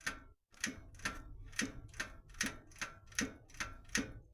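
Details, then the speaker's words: Ardis Hetman bicycle, new bottom bracket fitted and cranks tightened: sharp, crunchy clicking knocks about twice a second from the crank area only while braking, present with old and new bottom bracket; cause unknown, owner wonders about hub bushings. "Тільки коли начинаю тормозити іде таки раз отак отак ось іде тільки Я тормозу тільки раз іде типа хруст не хруз воно просто такий от от ходе воно трошки"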